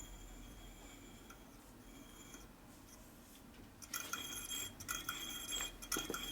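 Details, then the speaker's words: Wheel on a 2001 Gilroy Indian race bike being rebuilt, spokes trued by tapping: a run of light metallic taps across the spokes at a similar bright pitch after tightening, tension now much more even, though one section is still loose. "you hear it's a lot more even now."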